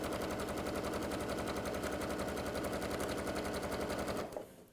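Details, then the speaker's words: Sewing machine stitching with a fast, even needle clatter around four stitches a second, steady rhythm with no catching or grinding; running smoothly. "Purring along. A bit like you, HP."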